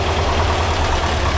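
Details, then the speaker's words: 1982 air-cooled VW Vanagon Westfalia engine after valve adjustment: quiet, low, even idle with no clatter or ticking, starts right up, oil and ignition lights go off; normal idle. "So that's a bunch quieter now. And it starts right up."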